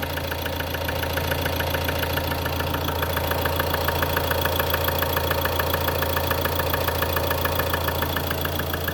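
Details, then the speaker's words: 2013 Ford Transit 2.2 diesel idling: sharp, regular click-like knock about twice a second over the steady drone; owner suspects it comes from underneath near the gearbox by the starter, cause unconfirmed. "Ford трант 2.2 двигатель 2013 года кто подскажет при работающем двигателе вот слышен вот такой стук как щелчок"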